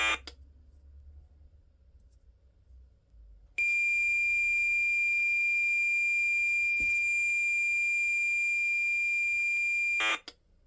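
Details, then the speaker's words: Cheap modern USB cassette deck, playing back a save recorded from an MSX computer: single unbroken high tone about six seconds, no data chatter after; only the leader/startup tone captured, save failed. "okay so there was a file on there which is essentially what we've just played back which is just a single tone which is the startup tone"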